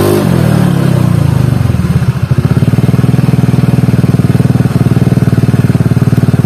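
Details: Carbureted Honda Beat scooter CVT after replacing only rollers and sliders: low idle with uneven, clattery pulsing about four thumps a second from the belt drive; rough CVT noise at low rpm, cause unclear.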